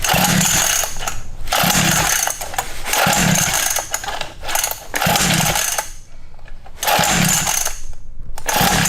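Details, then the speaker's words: Cheap Temu 49cc two-stroke pit bike, new, on choke: repeated pull-start bursts about every second and a half, engine turning over but never catching because the key/kill switch was off. "Ah, we should have guessed how many pulls. Oh, I had the key off."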